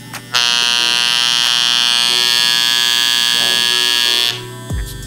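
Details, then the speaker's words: Andis Master clipper with new blades, tension adjusting knob loosened; loud harsh buzzing rattle, much louder than normal hum, that sounds like the clipper is falling apart. Cause: loose tension; fix by adjusting the knob to set tension. "So that sound right there is what I was telling you about, that most clients probably sound or think that your clippers are falling apart. It just sounds terrible because you're just basically loosening up the adjusting knob."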